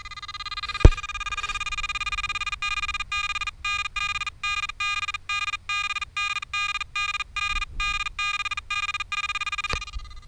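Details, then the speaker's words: Headhunter Pirate Pro metal detector, sensitivity raised to seven, over a penny: steady high tone chopping on and off about three times a second; threshold pulsing from high sensitivity, gone once volume lowered. "right so that pretty much confirms my suspicions that the pulsing sound we're hearing is in fact the threshold"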